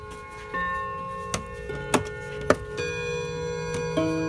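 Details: Hammond electromechanical mantel clock after servicing, unplugged with the mainsprings slightly under-wound. Clear bell-like chime notes ring with sharp strikes and no buzz or rattle, so the chime mechanism is healthy.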